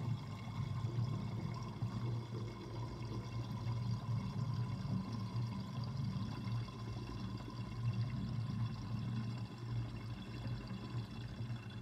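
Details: Kitchen sink drain with overflow covered: steady low gurgling and glugging as water pulls air down while the sink empties; drain gurgling, cause unclear.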